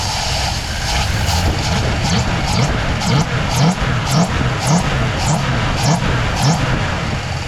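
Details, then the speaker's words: 1965 Plymouth Fury wagon V8, throttle blipped open: uneven, lumpy surges about twice a second with a stumbling beat. One fuel injector is not firing at all and one sprays light, causing a misfire. "Let's see if these injectors are firing. No, this one's not firing at all. So The rest are making up for it."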